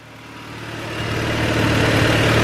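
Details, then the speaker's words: B18C1 turbo Honda CR-V with new custom exhaust, idling in daytime, muffler not yet on its hangers. Deep, steady exhaust burble with no misses or rattles; not too loud, idle a lot louder. Normal idle. "This does not sound too loud. I think if anything, the idle is a lot louder,"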